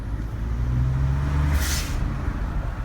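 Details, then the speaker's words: 2012 Ford F150 EcoBoost at 64,000 miles, after exhaust manifold gasket leak repair and new drive and accessory belts: even low engine rumble, steady rhythm, no squeak or squeal; running normally. "just sounds really good it's working really good thanks guys"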